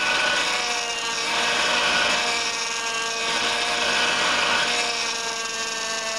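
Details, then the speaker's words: 2004 Honda Pilot, cold, before repair. Loud steady multi-tone power steering whine swelling and easing slightly over the engine. The pump draws air through contracted old O-rings on the outlet pressure line and return hose; the fix is new O-rings and reservoir. "in my previous video on this vehicle we talked about how when it's cold the power steering system makes a lot of noise so the cause of this is to oldring's one on the outlet pressure line one on the return hose"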